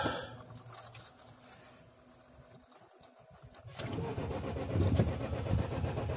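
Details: Ford Focus, cold start at about -13 to -19 °C after a freezing night, using a battery about two years old that was removed and recharged: faint, sluggish cranking, then it catches and runs rough and uneven; weak battery causes hard cold starting.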